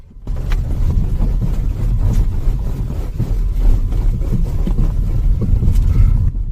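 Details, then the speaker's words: Ford Focus 3 driving over bumps: irregular hollow knocks through the road rumble from the rear right. The rear right stabilizer (sway bar) link is worn and is to be replaced along with the left. "Car के पीछे के दाहिने हिस्से में, ठीक इसी जगह से खटखटाहट की आवाज़ आ रही है। रियर राइट स्टेबलाइजर लिंक खराब हो गया है; इसे निकालकर बदलना होगा।"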